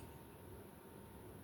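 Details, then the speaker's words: 1986 52-inch ceiling fan of unknown make, running high in reverse after pull-chain noise stopped by holding chain: soft steady airy hum, no ticking or rattling; normal running. "ah it was this pull chain now it's dead silent okay"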